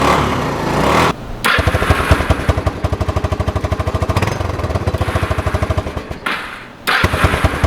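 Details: Kawasaki 300 ATV, abandoned beater, just reassembled after a hole repair, before the test run: even quick single-cylinder thump, steady with brief throttle dips. Normal running.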